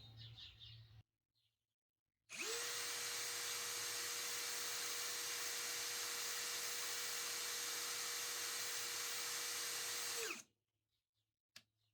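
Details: Narex CSP 12-2 Basic 20V cordless drill, 4 Ah battery, no-load noise and speed test, about 87 dB, measured 550 and 1750 rpm: clean, steady high whine for about eight seconds, then smooth wind-down; normal, low vibration.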